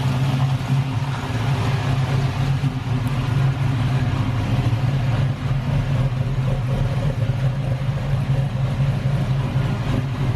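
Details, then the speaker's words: LS-swapped Camaro V8 at first start-up settling into a steady, deep, even idle with no knocks or misses; exhaust rattling as welding unfinished. "it sounds good the exhaust is rattling right there we're finished welding it but it sounds good dude and it idles"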